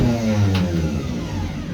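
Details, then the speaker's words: 1958 Euro VW Beetle hot rod, newly installed 12 V starter, operated in the car with no engine fitted: low, even electric whir spinning freely; starter motor works fine, also bench-tested good. "bench tested the starter works great and it even works in the car of course there's no motor"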